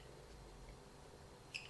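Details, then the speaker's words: WLToys 144001 RC car shock being worked by hand gives a single short high-pitched squeak; its cap threads are chewed, letting air in and oil escape, so the shock is shot. "This one's definitely not working. Oh, it is not working. That is a squeaky one."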